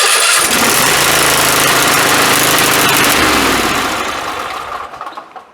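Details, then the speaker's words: Zero-turn riding mower cranking on a new 12V LiFePO4 lithium battery, used uncharged straight out of the box. Brisk, even cranking, then the engine catches immediately and runs smoothly without a stutter. "No problem at all. That didn't even stutter. More than enough cranking power to get this battery going."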